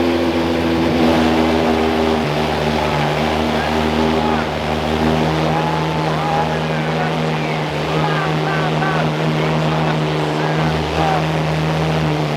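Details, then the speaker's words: Cold start of the rebuilt crashed Ferrari 812 Superfast V12 after tightening a loose ground wire. Loud, deep idle settling steadily and evenly with no misfires or knocks, not yet at operating temperature; healthy. "Well, finally the cold start is starting to settle right there. But the idle sounds really, really healthy. Really, really good."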